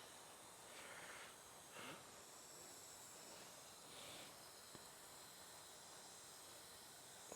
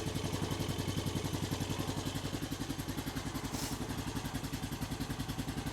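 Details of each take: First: 2000 Honda Foreman 450 ES engine out on leak-down test, 30 psi in, holding only 20: quiet steady hiss of air escaping past the exhaust valve; crud on valve suspected; leak-down past exhaust valve. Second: 2000 Honda Foreman 450 ES single-cylinder ATV, engine reinstalled, jumped start, choke just taken off: even, steady thumping about three and a half beats a second, no knocks or rattles; normal idle, though it still will not shift.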